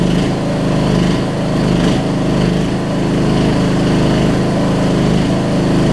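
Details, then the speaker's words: Murray riding mower, almost 20 years old, on its first start after a new gas tank install, using a jump box. The small single-cylinder engine runs steady and even with no misses or knocks and sounds healthy. "We got a running mower that I've been sitting on for about 2 months. Can't beat that, y'all."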